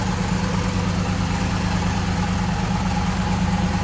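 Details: 1965 Chevrolet Impala SS convertible with an era-correct 327 V8 (block suffix believed 8A) and automatic transmission: a steady low idle burble with an even beat and no misses, knocks or ticks. It sounds like a normal idle.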